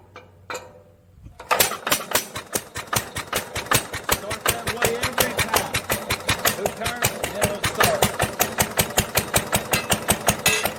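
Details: 1946 International LB (LBBR) 3-5 hp hopper-cooled engine from a hay press, running on its worn muffler before a glasspack swap; sharp loud raspy exhaust cracks about 160 a minute: harsh exhaust note.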